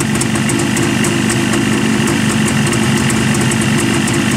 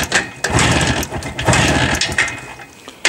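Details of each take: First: Jawa two-stroke motorcycle idling warm: steady even burble with a crisp fast patter on top and no knocks or rattles. Healthy idle. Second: Jawa two-stroke motorcycle just started on battery and choke, still firing on only one spark plug: ragged popping beat with uneven surges and gaps. Misfiring, running on one cylinder.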